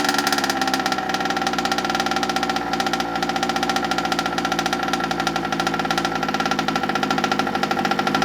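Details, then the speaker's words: Rebuilt Rovan Q-Shorty petrol RC car two-stroke engine, first start-up after priming and choking: high crisp rattle firing rapidly and evenly at constant speed, no misses or stumbles; normal running. "What an absolute dream, eh? What a dream. Couldn't ask for better than that. Couldn't ask for better than that. Even if I'd wanted. Perfect. Absolutely perfect. Sounds good."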